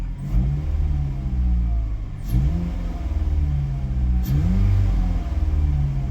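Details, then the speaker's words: 2005 Ford Focus ST after a fuel pressure regulator replacement cleared the P0183/P0193 codes and the check engine light: it revs up and settles in smooth, even swells with a loud airy intake rush, no misses or knocks. Normal revving. "this thing makes it pretty gnarly like um it sucks in a lot of air feels good"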